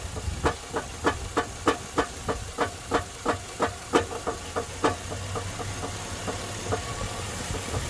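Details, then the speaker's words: 2002 Chevy Silverado 5.3L, dead battery jump-started: sharp metallic knocks about three a second at idle, fading after seconds; suspected broken crank, flywheel or loose torque converter bolts, unconfirmed. "oh that sounded real good so who do you think that might be that kind of sound like a busted crank or something"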